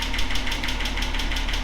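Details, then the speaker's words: Datsun 280ZX L28E straight-six after a botched valve lash adjustment: fast, even metallic top-end tapping over a steady idle; valve train knock, owner suspects confused intake/exhaust lifter settings or the engine cooling before the adjustment was finished. "now in case you don't know that's the sound we didn't want that's the sound of me messing up that sounded me either confusing one of the lifters"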